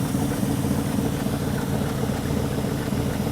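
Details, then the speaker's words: Ford Galaxie five-bolt 289 V8 with a newly installed rebuilt Autolite 2100 carburetor and electric fuel pump, showing 21 inHg vacuum. Held slightly above idle, a steady, even low rumble with no knocks or misses. Healthy engine. "21 inches of vacuum perfect she's happy to pull it up a little bit"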